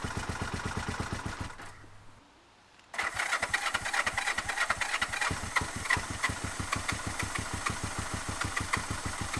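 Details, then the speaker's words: 1971 Honda CB450 K4 motorcycle, start attempt after battery charging: steady cranking about three beats a second, pause, more cranking that never catches; only responds with throttle opened, stalls when released; hard starting, cause unclear. "Nghe có vẻ không mấy hứa hẹn."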